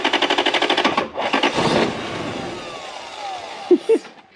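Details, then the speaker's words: Lexus LS400 UCF20, 1UZ-FE V8, with a white-plug ECU fitted to a grey-plug car: rapid, even starter cranking that stops after a second without firing; crank no start from an incompatible ECU. "real quick guys plug the white plug ecu into a grey plug car watch this"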